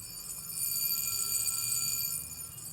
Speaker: So, really great sounding alarm. It goes on for a while, especially if you give it a full wind.